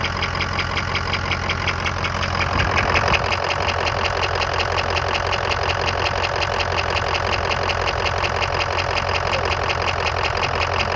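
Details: 2003 Ford F-250 6.0 diesel at idle: soft, fairly even knock about three per second from the right side near the alternator, owner describes it as air-like; cause not yet determined; knock at idle.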